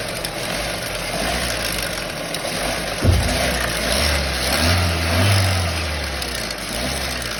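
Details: Renault Mégane 3 TCe 115 hp petrol engine idling with a light, uneven clatter that swells on a quick throttle blip, attributed to timing chain tensioner noise.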